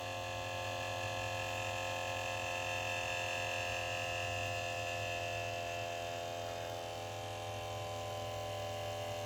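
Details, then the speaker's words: 1989 Jaguar XJ-S V12 Teves ABS pump motor, in the engine-bay corner opposite the driver, charging the accumulator normally: a steady electric buzz dropping slightly in pitch as pressure builds and the pump meets resistance; it draws about 150 ml from the reservoir. "You hear the pitch change and lower. That's as the pressure builds in the system and the pump's faced with resistance. It's getting slightly lower in pitch."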